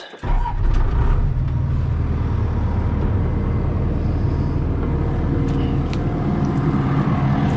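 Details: Diesel 160 just started: steady low rumble settling after start-up, even and smooth, no knocks or surges; no leaks, drew down hydraulic fluid, owner suspects it wasn't getting enough fluid before.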